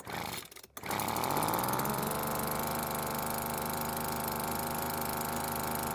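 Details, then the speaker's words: Cheap two-stroke leaf blower that wouldn't start, with carb H screw adjusted and L screw left alone: catches after a couple of pulls and settles into a steady, even buzzing idle; normal idle. "now I didn't need to touch the L screw because it was already idling just fine so I was only concerned with the H"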